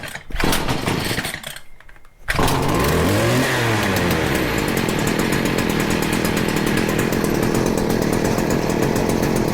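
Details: Stihl FS40C trimmer that wouldn't run, after the carburettor mixture screw was set about one turn out. Quiet pulls, then the small two-stroke catches, revs up and down, and settles into a steady high buzz.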